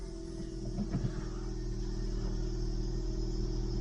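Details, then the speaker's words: Ford Fusion long sat unused, cold start on a cold day, clean pink coolant; steady low idle with no knocks or misses, possibly a slightly squeaky tensioner; normal cold start idle. "That actually sounds okay. Considering it's been sat for a long time. Maybe slightly squeaky tensioner down there, maybe."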